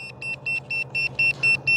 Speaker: It's beeping. So, if you couldn't hear the thing in your hand, you can hear the thing in the air. Also, this will help you find it if you would crash.